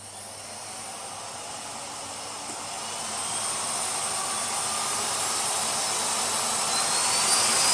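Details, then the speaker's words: Miele Cat&Dog vacuum with a dead fuse, repaired and fitted with a C3 cable rewind: steady airy rush building smoothly as the motor reaches speed, no scraping or stutter; normal running. "it works very well I also took the liberty of putting the cable rewind from the c3 into it just because it fits"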